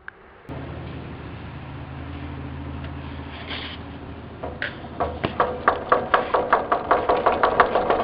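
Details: 1958 Wheel Horse tractor with early-style (1958–61) gears, microphone near the transmission, engine idling: a steady clunk of two to three per second builds while rolling in reverse, none going forward. Worn transmission gear teeth knocking.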